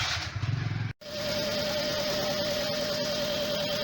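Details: 2006 Suzuki Liana after cleaning and servicing for hard starting, misfiring and poor pickup: after a brief dip it settles into a steady, even idle with a faint constant whine and no misses, sounding healthy.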